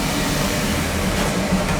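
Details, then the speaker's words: Residential oil burner on a boiler after service for rough, noisy running: new tank filter, smaller nozzle, cleaned burner head and reset electrodes; a steady, even flame roar with a constant low hum and no pulsing, now burning smoothly, and it shuts off on limit. "It's running better. It's running better. She's off on limit."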